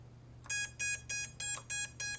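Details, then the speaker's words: iFlight Nazgul5 6S 5-inch FPV drone, 2207 1700KV motors, BLHeli_S 45A ESC, beeper switch activated in a quiet room: six crisp high beeps about three per second from the motors; beeper function working. "Do the beeper. You can hear the motors beeping."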